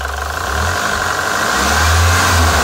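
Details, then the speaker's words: PT Cruiser GT 2.4 turbo, diesel-like noise after two-hour drive, lifters, rockers and cam caps removed, cleaned and refitted: steady run with busy clattery top-end tick, rough; sounded worse after cleaning, valvetrain noise cause not yet found. "difference to me that sounded much worse"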